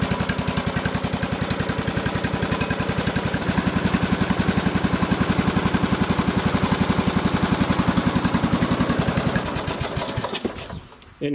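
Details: Lawn tractor with an older 15.5 hp single-cylinder replacement engine swapped in for a failed 20 hp one: steady, even thumping at about 220 beats a minute with no knock or miss; runs healthy.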